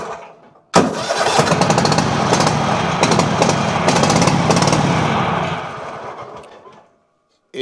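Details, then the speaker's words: Toro Titan MX5400 with Kohler Confidant 23 hp V-twin, one spark plug unplugged: catches, runs rough on the other cylinder, then cuts out and dies; suspected bad plug, ignition coil or valve on that side; bogs under load. "should run on just one cylinder with one spark plug unplugged. And it is running on that other side, but it's cutting out."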